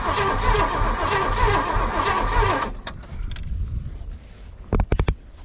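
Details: Long-buried 1978 Oldsmobile 98 with rebuilt carburetor and new fuel line: starter churns under three seconds with no firing; crank no start, owner suspects no spark or bad fuel.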